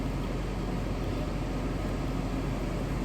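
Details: Ford F150 idling with wheels off the ground, full fuel tank, gauges being checked: smooth, even low rumble with no knocks or ticks, "that thing runs nice"; normal healthy idle.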